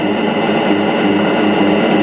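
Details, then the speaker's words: Motor driven by an INVT CHF100A VFD with carrier frequency (P0.14) set to 1. Loud, steady, piercing whine with several fixed tones over the motor hum; raising the setting to 8 quiets it. "अब मोटर की आवाज़ सुनो। ये देखें मोटर की काफ़ी ज़्यादा आवाज़ है।"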